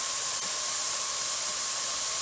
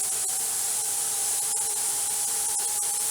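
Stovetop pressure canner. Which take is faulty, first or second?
second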